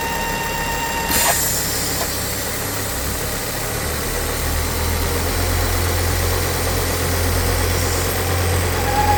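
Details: Ford S-Max 2.5T (Volvo engine) at idle: steady thin whine that doesn't change pitch, with strong crankcase negative pressure, caused by a failed oil filter housing PCV diaphragm/membrane.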